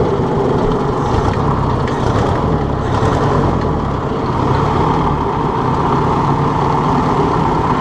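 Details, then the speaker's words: Ford 600 tractor first start in 20 years, started fairly easily; even steady idle rumble, no knocking, missing or surging, no smoke, oil pressure pretty good, not charging; normal idle. "That's working. No smoke. Oil pressure's pretty good."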